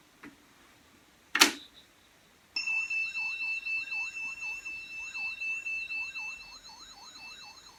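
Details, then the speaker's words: 1983 Pioneer CT-540 cassette deck after reassembly, playing a 3000 Hz test tape: the steady tone wobbles up and down in pitch several times a second, showing severe wow and flutter. Cause not confirmed. "Oh dear, that is terrible. As you can see there, just how bad that is. And as you know, this should be a constant 3000 Hertz tone, and that is terrible."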